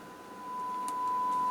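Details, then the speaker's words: Standard Radio C-55D transceiver on tester, 70 cm and 2 m bands, S-meter shows reception: 1 kHz test tone present but only 8.3 mV, far too low, and turning the volume changes nothing; weak audio output. "you hear that our one kilotone test tone is present but on the other hand it is only 8.3 millivolt which is of course much too low"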